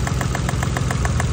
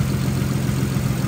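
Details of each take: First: Nissan R33 Skyline, cold after sitting two freezing days, just after spark plug work: rough, lumpy idle with quick, uneven clicking. Misfire traced to a coil pack not properly seated after the whole bracket was removed. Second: Nissan R33 Skyline, cold after two days sitting, after reseating a coil pack that wasn't properly seated on its spark plug (earlier clicking/knocking): low, steady idle with even beat, no misses; normal idle after fix.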